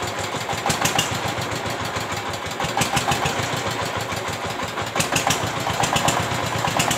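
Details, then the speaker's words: Single-cylinder S-1100 16 HP diesel for well drilling, test run after service and reassembly for surging, poor throttle response and stalling. Quick, even knocks at a steady rhythm with no hunting or misses. Now stable and powerful: normal idle. "teman-teman Diesel, sekarang sudah memasuki tahap pengujian dan suaranya sudah mulai stabil dan bertenaga."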